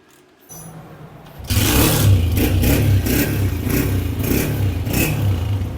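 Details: Honda motorcycle stored a long time, started after washing, fresh petrol and the fuel pipe reattached to the carburettor: fires after a brief crank, then a steady even beat with clean throttle blips, no knocks or misfires; runs healthy.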